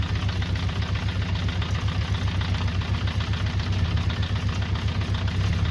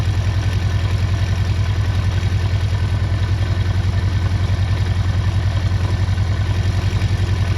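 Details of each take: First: 48-year-old Honda CB400 Four during restoration, idling below 1,000 rpm (spec 1,200): low lumpy idle about four beats a second, sounding like a tractor; rough idle from unbalanced carburettors and too-low idle setting. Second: 48-year-old Honda CB400 Four after carburetor balancing: a steady, even four-cylinder idle at the manual's 1200 rpm, with no misses or knocks and all cylinders pulling evenly.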